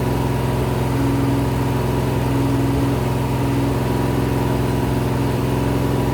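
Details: Rebuilt 426 Gen 2 Hemi crate V8 (new heads, intake, pistons) on run stand, flat-tappet cam break-in, ~15 min in, ~210°F: even steady fast-idle drone, clean regular pulse, no ticking or knocking; normal.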